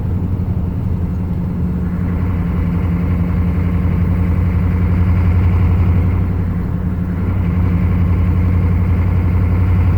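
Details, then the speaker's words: 1995 Chevy 3/4-ton 6.5 turbo diesel with rebuilt DB2 DB2831-4911 injection pump, warming up on road around 1500 rpm: low drone swelling and sagging in slow waves, engine surging, better after set-screw adjustment, cause not yet found. "Hear how unstable it is? So before I adjusted that set screw, that was way worse."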